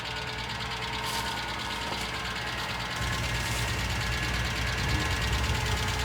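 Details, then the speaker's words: 1998 Ford Ranger 4.0 L V6, automatic, 62,000 miles, idling with a steady regular tick-knock; source unidentified, needs mechanical work, tow recommended. "It will need mechanical work though. That 4.0 is steady ticking."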